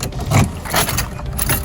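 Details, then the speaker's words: 2006 Porsche Boxster S, 3.2L M96 engine with the larger IMS bearing, near 100,000 miles: a quick crank catches and settles into a smooth, even run with no knock or ticking. A healthy start. "here is starting by the way as you'll hear engine sounds great no knock no nothing"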